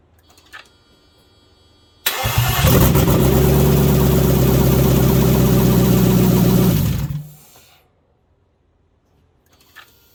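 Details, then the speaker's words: Mercedes M119 V8 first cold start after a near year-long engine install, running on bare exhaust manifolds with no exhaust: starter whirs, the engine catches with a deep loud roar, holds a steady rumble about five seconds, then shuts off cleanly; normal. "well i waited a year for that and it was freaking glorious all right so that was it started up that was the first cold start"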